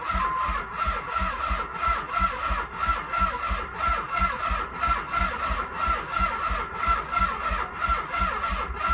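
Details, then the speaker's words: 1995 Nissan 300ZX, no battery fitted, cranked via jumper cables: slow, labored cranking with a heavy pulse about once a second, never firing: crank no start. "it's trying okay so it looks like the jumper cables make a difference"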